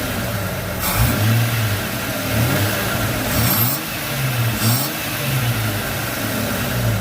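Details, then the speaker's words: 2004 Jeep Grand Cherokee WJ that stalls at idle, after partly cleaning throttle body and restarting, possibly flooded before; idle rises and sags roughly each second near stalling, rough idle though improved, more cleaning planned. "So it's already idling a little bit better. And then when I did at before, you saw how the car just instantly died. Now it's not doing it as bad."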